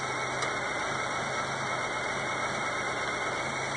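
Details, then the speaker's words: Engine idling during a battery tester's alternator test, after a normal 950 ms starter crank that pulled the battery to 10 V: steady idle with a slightly lumpy, uneven beat from a missing spark plug, fitting a dead cylinder. "Now to test the alternator, I got a spark plug missing, is what we're having that sound about."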